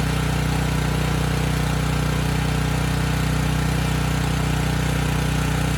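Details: Briggs & Stratton Storm Responder generator (model 030430-00, engine 21T212-0116-G1), previously stuck at TDC with fuel-flooded oil, final test after repair: constant drone at fixed pitch, no surging; speed raised to 61.5 Hz, loaded to 3000 W and holding 60 Hz.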